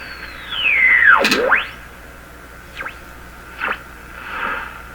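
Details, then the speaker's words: Stewart Warner R514 tube radio during IF sweep, signals converted to 455 kHz with intermittent oscillation; sharp whistles swoop down and up as the dial passes stations, fainter chirps after; oscillation suspected: heterodyne whistle. "so at this point there is an oscillation in the radio heterodyne with the one generated by incoming signal"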